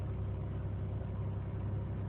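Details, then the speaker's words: 2001 Chevy Malibu 3.1 L V6 idling in park right after cleaning throttle body and MAF sensor to fix high idle (was about 2000–3000 rpm); steady even idle just over 1000 rpm, no surging; normal idle. "okay the RPMs are a little bit better it's just over about a thousand"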